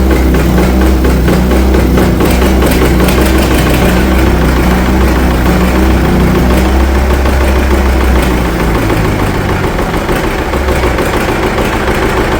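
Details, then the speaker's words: International TD-6 crawler's gas-start, diesel-run four-cylinder, revived after 11 years sitting rusted stuck, after the #4 cylinder misfire fix. Steady, even clatter at idle with all four cylinders firing, no miss or stumble: healthy. "I think it's hitting on all fours. Sounds a lot better."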